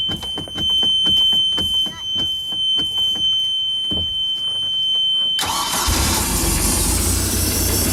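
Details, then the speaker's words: Bayliner 175 boat, Mercruiser 3.0, cold start out of storage with flame arrestor off: about a dozen uneven cranks, catches, idles under strong hiss from turn key start (TKS) choke while warming to operating temperature; normal cold start. "so what I'm doing right now is I'm bringing the engine up to operating temperature this also allows the turn key start TKS system to go ahead and close"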